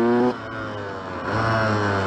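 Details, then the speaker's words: Yamaha YZ125 two-stroke dirt bike revs, sags and picks back up unevenly while riding, loaded up and running rough, also has an exhaust leak needing a rubber sleeve; two-stroke engine loaded up, running rough. "could have to get it unloaded yeah it's definitely loaded up definitely loaded up it's starting to get out of it though"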